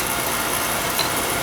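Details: Oil burner on no-heat callback after nozzle change and drawer assembly reseated (electrodes had been hit, no spark): steady, even roar with no pulsing, puffing or rumble, holding a stable flame; normal operation.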